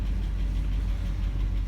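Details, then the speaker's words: 1996 GMC truck that had sat unused, mostly since 2016: steady, even low rumble with no knocks or misses; normal healthy idle, though it later starts to overheat. "sounded absolutely pretty"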